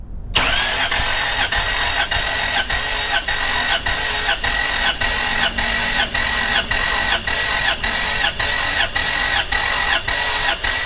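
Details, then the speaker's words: Toyota 3.4L V6 5VZ-FE engine cranking on a compression test: steady even pulses about 100 per minute, equal strength; number one cylinder reads about 197–198, healthy compression. "so that's pretty darn good that's about 197 198 so that's the number one cylinder"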